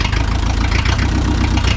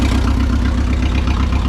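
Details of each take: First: Old neglected forklift, four-cylinder petrol engine with a reworked spring hook: low, lumpy idle. Idle speed is set too low; fixed by raising it at the carburetor's idle adjustment. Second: Neglected forklift idling after idle speed was raised at the carburettor adjustment: an even, steady low rumble with a regular firing beat and no knocks or misses; normal, healthy idle.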